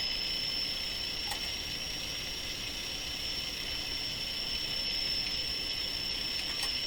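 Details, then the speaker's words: Sparton Model 5049 radio whose IF stages break into oscillation when peaked: a steady piercing squeal over faint hiss. Paralleling a capacitor made no change. "So the plan here was to parallel this capacitor. Okay, you can hear the oscillation kick right in."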